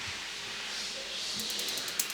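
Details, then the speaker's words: Ferrari 512 BB ignition coil tested, lead pulled away from a 10 mm gap: sharp rapid spark snaps about ten a second over a steady hiss as the coil shorts and arcs internally, risking a misfiring cylinder. "you can hear it's still sparking. But what that's doing is shorting inside the coil and going somewhere else. Electricity will always take the easiest route."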